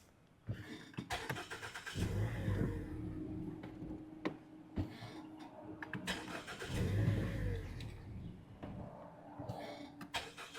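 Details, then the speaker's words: Mazda CX-5 with codes for random misfire, high idle, lean bank 1 and MAF range/performance: starts, idles rough and surging, misses, drops and stalls; faulty MAF sensor, resolved after OEM MAF replacement. "oh yeah I can hear it missing try gear oh wait a second sounds awful on it own oh now it dropped and it installed"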